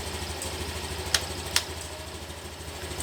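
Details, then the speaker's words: Brand-new Honda Beat LED scooter, remote-started after installing a CR7 PNP alarm: the engine ticks over quietly and evenly with a couple of sharp clicks. The idle is healthy, with the MIL off and no errors. "nah ini mesinnya udah nyala dan ini terbukti aman ya lampu mil Tidak nyala tidak ada indikasi kerusakan ataupun error"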